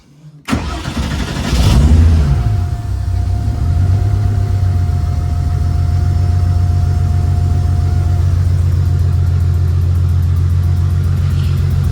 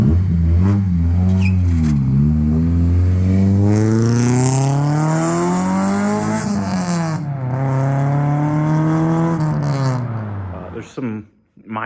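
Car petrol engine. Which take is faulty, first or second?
first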